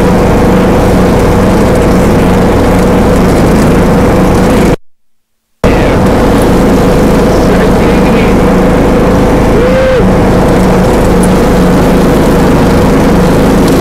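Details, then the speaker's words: John Deere D105A riding mower after replacing burnt deck belt with new one: steady drone under deck load, even speed apart from a brief dropout; normal running and cutting. "there we go son oh there we go oh girl is ready to roll she ready to Mo that boat is working out great"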